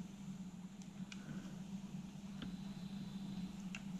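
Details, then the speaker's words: 1980s AIWA AD-WX929 twin cassette deck, mechanism run outside the deck after belt replacement and lubrication: quiet, even motor hum with light mechanical clicks, tape running smoothly; normal transport operation. "checking the belts were okay lubricating the mechanism making sure it all working okay this is a really good thing"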